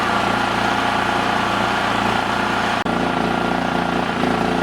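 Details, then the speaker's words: Dad's Honda 3000 generator, warmed up a few minutes with the choke off, still on the old stale gas: speed drifts up and down slightly, a hunting idle, though running fairly well before the fuel is drained. "it's been running for a few minutes now and the choke is off it still is kind of drifting around but it's doing pretty good"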